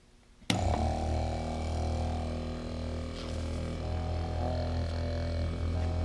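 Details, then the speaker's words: Replacement TurboWerx Spartan quiet turbo oil scavenge pump (12 V, max 3.5 A) on a bench test: switches on with a clean, steady low hum, no rattle or grind; significantly quieter than the old pump. "oh wow you just about can't even yeah it's significantly quieter that's for sure"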